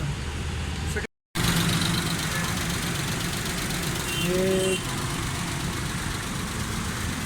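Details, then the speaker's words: Suzuki Khyber pickup after fixing missing and fuel problems, tablets refitted: engine starts and idles steadily with a smooth low beat, no stumbles or misses. "Start है माशाल्लाह, बिल्कुल ज़बरदस्त sound है इसका।"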